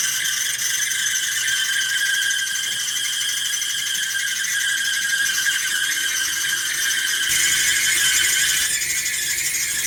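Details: Duet Sport dryer running; loud high squealing screech carried by the turning drum, drum support wheels shot, fixed by replacing four drum support rollers, idler pulley and belt – dryer drum squeal from worn drum support rollers.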